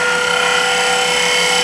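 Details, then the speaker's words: Wood lathe turning a needle case with a fingernail gouge (Ellsworth grind) at high speed: a sharp, steady ringing squeal from the tool chattering against the work, cured by lowering the speed. Lathe tool chatter. "You hit a little noise. That's chatter, boys and girls. It's out there."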